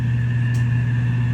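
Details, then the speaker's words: Household HVAC blower after motor replacement, with ground wire relocated: strong steady low hum with constant airflow rush, no rattles; runs normally. Owner suspects restrictive K&N filters strained and killed the previous motor. "We'll fire it up. Now we'll plug it in. Do you hear how strong that sucks?"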